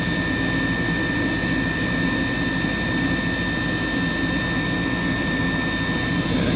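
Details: Furnace that was in lockout from a frozen inducer motor, freed by hand-spinning, running through its cycle to ignition; filter dirty: steady roar with a constant high thin whine from the wearing inducer motor that needs replacing.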